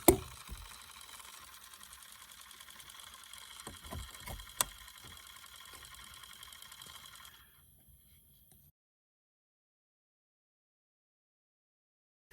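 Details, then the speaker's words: 2007 Buick LaCrosse instrument cluster, removed from the car, with the odometer/driver information display not working: fast faint ticking and thin electrical buzz when the plug is seated, briefly also at key-off. Internal cluster fault suspected; cause not yet found. "have to flip this little switch to seat it and you'll hear something down here start making a noise"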